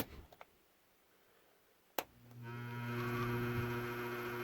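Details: Scratch-built Leslie cabinet: a click, then the rotor motor comes up to a steady low hum with a buzzy edge. The builder suspects the upper rotor bearing needs oiling.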